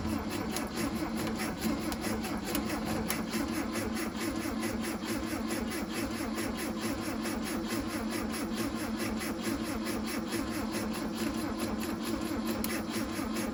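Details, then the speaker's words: 1968 Volkswagen Beetle not started in 5 years, being cranked to pick up fuel: even starter churn throughout with no firing pulses at all; cranks but will not start. "Definitely no life there"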